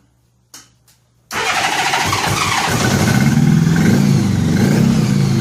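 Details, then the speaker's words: 1983 Honda Gold Wing flat-four after new head gaskets, now with a fresh set of spark plugs, no coolant yet; long-sitting bike, carburettors probably a little off. A few clicks, then it catches and settles into a steady, even idle around four pulses a second, no misses: normal running. "think we're on the right track here this he's been sitting a while the carburetors are probably a little jacked"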